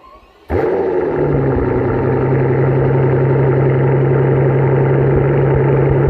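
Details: 2007 Mercedes S65 AMG V12 cold start after sitting about two weeks, mic about 3 ft from rear bumper: catches abruptly, loud slightly lumpy idle with occasional misfire stumbles.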